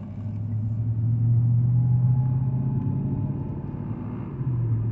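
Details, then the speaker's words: Infiniti M45 V8 on highway with aftermarket aluminum undertray fitted: steady deep drone at about 900 RPM under road noise, feels like it's struggling; undertray contacting and vibrating against the engine, later blamed for knock and limp mode. "Car's still doing that weird vibration thing. Alright. So I just got on the highway. The car still has that weird drone at 900 RPM."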